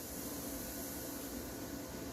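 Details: Sound system with no music playing: a constant, even hiss like steady static. The gain is set too high and the amps are amplifying noise; a noise gate helps cut it out.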